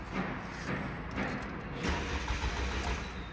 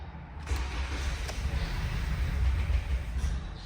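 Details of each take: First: 2018 Toyota Camry, crash-damaged with replaced engine, many stored codes incl. unplugged air flow sensor, fuel added at throttle: weak short cranking pulses about twice a second, never catches; crank no start, no spark because ignition coil power wires were cut. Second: 2018 Toyota Camry, crash-damaged with replaced engine, previously cranking with no start. After repairing cut wiring and clearing codes, with the intake boot still off, it catches at once and settles into a steady low rumble; normal start.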